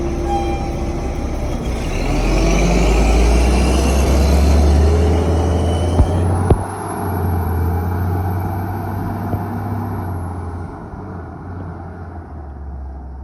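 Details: Bus 1017 diesel with misfire: heavy rumble with a regular uneven beat around four per second as it revs and settles, pointing to a misfiring cylinder; cause not confirmed.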